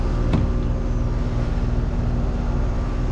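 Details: R22 package heat pump unit with a complaint of running constantly; suspected overcharged, possibly with something other than R22, and under a pound recovered; dirty filter noted: steady, even compressor hum with no knocking or rattle; normal operation.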